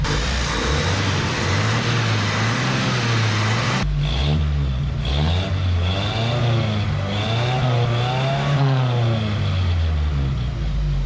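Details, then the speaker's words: 1977 Datsun 620 four-cylinder after setting ignition timing to 12° and hooking up vacuum advance: crisp revs rise and fall smoothly with no misses or pinging; sounds much better, healthy. "advance you hear that she sounds a lot better don't she she don't sound like a damned Old Farm Mall anymore"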